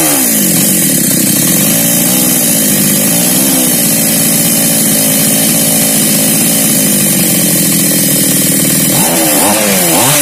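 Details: Mini chainsaw that was hard to start, after repair: small two-stroke buzzes at a steady high pitch, then revs cleanly up and down; running smoothly and healthy.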